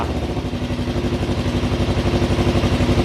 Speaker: oh wow she starts straight up obviously a little bit cold a little bit lumpy um but if we give her some give her some choke and give her some time to warm up